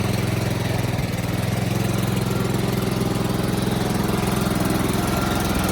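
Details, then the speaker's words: Toro Z4200 TimeCutter 54" zero-turn mower, once submerged in Hurricane Irma and parked about 2 years, just revived with fresh fuel, a charged battery and some jerry-rigging: small engine holds a steady, even chug, about 3.5 beats a second, no missing; running fine. "There you have it, she's running. Telling you, doesn't take much to get these old mowers going."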